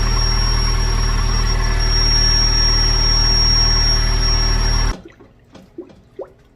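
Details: C5 first start-up after the intake, throttle body and manifold were removed and refitted, on a jump: a constant shrill whistle over a steady idle that vanishes at shutoff. A manifold vacuum leak is suspected, not confirmed.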